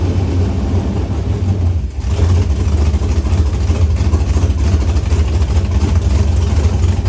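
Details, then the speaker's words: Chevrolet S-10 with LQ9 V8 swap, Holley Terminator X Max and Current Performance harness, first start with no transmission fitted: fires up and settles into a deep, even V8 idle with a quick blip, no misfire, ticking or knocking; normal first start. "But, yeah, what a good feeling that was to hear that thing fire off, and it sounds good."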